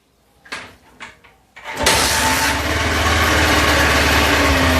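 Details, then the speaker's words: Bajaj Pulsar 150 UG2 motorcycle after kill switch (magnetic Hall-effect switch) repair: a few light clicks, then engine catches at once and settles into a steady, even idle with no misfire or knock; normal start and idle. "let me start the engine so we can check the kill switch you can hear the engine is running"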